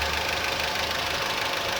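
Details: Honda Civic at idle. A fast, light, steady ticking over the engine, bright in the treble, like top-end valve tick. The engine was described as roaring loudly; worn bearings and axial play are suspected, cause unconfirmed.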